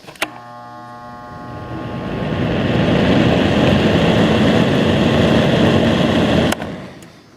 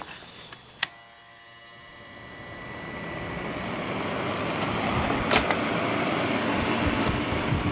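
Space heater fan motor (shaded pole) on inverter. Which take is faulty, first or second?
second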